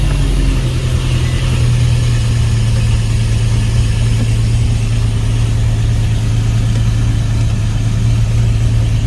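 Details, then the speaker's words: Infiniti M37S after replacing the coil pack on the cylinder that had a bad misfire (cylinder 5 reported, code P0301): smooth, steady low hum at idle with no skips or uneven beats. The misfire is gone and the scanner shows no codes. Normal idle. "I can just hear that the misfire is gone"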